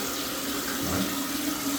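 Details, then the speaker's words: Toilet tank refilling after a test flush, following replacement of the fill valve and flapper and a float adjustment so water stays below the overflow: steady, smooth, even hiss, no squeal or chatter; water refills to the desired level; normal tank refill. "now the water's filling back up at the level I would like it to."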